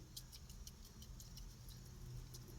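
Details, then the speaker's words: Vintage push mower carburetor float removed and shaken: faint quick rhythmic sloshing of fuel inside; float is fuel-logged and bad, reason it won't run properly, needs new float or kit. "The float's no good. This, I don't know if you can hear it, but this thing is chock full of fuel."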